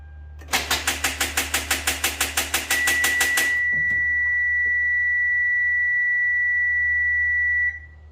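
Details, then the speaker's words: Hyundai Genesis 3.8L swapped engine after flexplate/bell-housing install, fuel and ignition connectors unplugged to crank only; fast even clicking about three per second, no turnover, then a chime; starter suspected. "Right, guys, we got a little problem here. It won't start. You can see we have to diagnose maybe the starter motor that we installed with this. This is exactly the same sound that I had when I had this vehicle."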